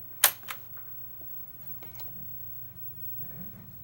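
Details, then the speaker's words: Sony turntable: arm lowers needle then trips the stop sequence repeatedly because the return mechanism jumps and catches a red tab instead of bypassing it; sharp clicks and snaps as the arm cycles endlessly without playing. "But when it gets to here, it's a little jumpy like that, and instead of missing, it gets caught and initiates the stop sequence. And it happens over and over and over again."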